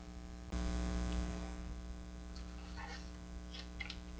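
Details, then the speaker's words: 1951 Jewel radio Model 956 switched on via isolation transformer at 119 V; tubes light and a steady low mains hum comes up, no hiss, static or station; set dead apart from hum. "his tubes are lighting but it is dead no static no"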